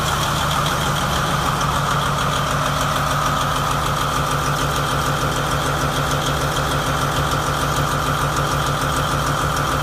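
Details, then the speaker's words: New 2017 MTU 16V diesel genset, 2250 kW, 1800 rpm, 3 hours' runtime, test-run from a temporary diesel tank: a deep, even diesel drone with a steady mechanical hum and no misses or knocks. Normal idle. "Checked it out. Everything seems to be normal and running properly. It has a total of 3 hours of runtime on it."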